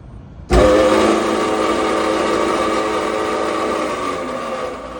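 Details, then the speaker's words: York package unit evaporator blower motor, jumped on at the contactor: loud, harsh, steady whine and rough drone while running; worn shaft bearings in the blower motor, motor replaced. "as you can hear the sound is bad so some most of the times I actually run into uh blown out baring more than I do run into uh motors with uh that are making the noise"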